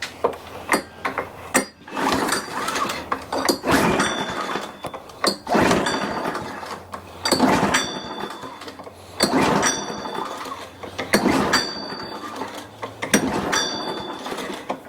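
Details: Older Toro 21-inch self-propelled mower, sat dry in a shed about 10 years, fresh oil, in neutral, first pulls; repeated recoil pulls about every two seconds, short rattling spins that never catch; cranks but won't start, cause not yet known.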